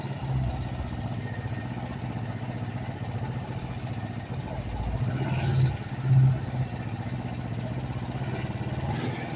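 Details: Kawasaki Vulcan 500 twin, warm, after valve adjustment during carburetor synchronization: low steady idle beat with only small wavering; carbs sound balanced, normal idle.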